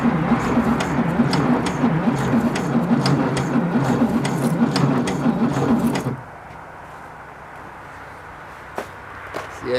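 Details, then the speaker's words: 1966 VW Beetle first start attempt, fuel pump primed: starter churns the engine at about four even beats a second, sluggish and never firing, then stops; slow crank, no start, spark being checked at the distributor. "I said it sounds like it's going pretty slowly"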